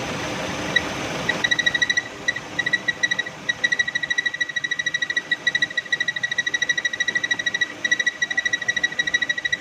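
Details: 2016 Chevrolet Cruze petrol engine at idle: steady high-pitched whistle near 2 kHz over a quiet idle, from a failing PCV valve.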